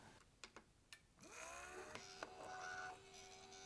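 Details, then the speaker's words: 2005 Thermaltake Tide Water GPU cooler pump, test run with only the pump connected, no fan, air in the loop, running dry: faint clicks, then a thin hum holds about two seconds and fades; spins only intermittently, owner suspects an electronic problem. "still running dry the pump seems to have some kind of electronic problem I think at least I mean it spins from time to time this is really odd"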